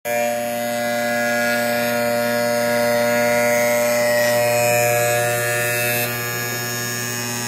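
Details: Sparx sharpener motor: steady electric hum with a buzzy, rough edge that stays even throughout; noisier than it should be, cause not evident.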